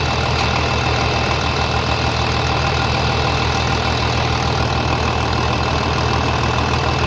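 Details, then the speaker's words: 3588 at 7,338 hours, idling on a freshly rebuilt engine with new cylinders and pistons; steady, even, smooth low beat with no knocks or misses, very quiet; normal diesel idle. "there it is we got 7 338 hours on it with a brand new engine looking good sounding good i can't believe how quiet it is"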